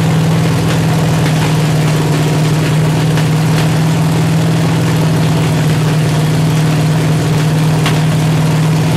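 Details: 383 stroker V8 with 1.6:1 roller rockers on an engine stand, open headers, water-only cooling at 210°, after 2000–2200 rpm break-in. Lumpy, sputtering idle; valves adjusted too tight are held open and spitting, idle not yet set.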